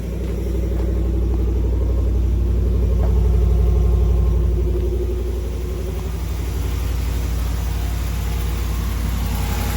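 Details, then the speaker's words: 2019+ Ram 1500 5.7 Hemi, cold start right after both cracked exhaust manifolds were replaced: deep, smooth V8 rumble at slightly raised cold idle with no ticking; engine sounds sound, normal cold idle. "all right we have new manifolds it's cold let's see how she sounds [Applause] yep sounds like she just use new sweet"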